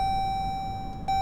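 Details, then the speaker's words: Hemi SRT, start button pressed to ON with the engine off: a steady high tone near 800 Hz with one brief dip as the car primes itself and the gauges sweep, before starting. Normal key-on priming sound. "you can hear it, the car is kind of like priming itself. And then once you do that, and the gauges come back down, then you start it up."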